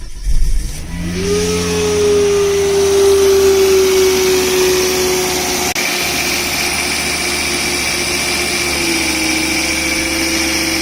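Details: 2006 Volvo V70 R turbocharger howl on cold start: tinny, rattly steady howl over cold idle; stethoscope on turbo housing confirms source. Also heard accelerating around 2000 rpm, stopping abruptly above 2500 rpm as boost kicks in.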